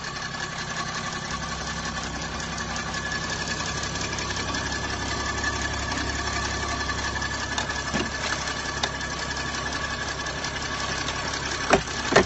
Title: Bruit Moteur Chrysler 300c CRD